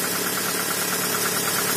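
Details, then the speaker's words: Toyota RAV4 cold start after sitting two days in snow, after cleaning carboned spark plugs and setting gap to 1 mm: cold engine idles evenly with a light, quick, regular tick; owner suspects a hydraulic lash compensator slow to pump up. "немножко какой-то компенсатор подступит Ну так он в принципе и будет стучать Машина стояла холодная"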